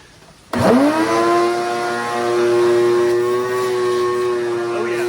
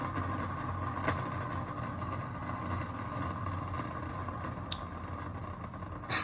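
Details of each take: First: Shop vac tested outside after repairing its grumbling motor bearings and a radial fan that had backed off and caused no suction: it spins up fast to a clean, steady high hum with no rattle or grinding; normal running. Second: Shop vac motor running with a steady rough drone and low grumble from the motor bearings/bushings, spinning fast with low resistance as if the radial fan has come loose; no suction.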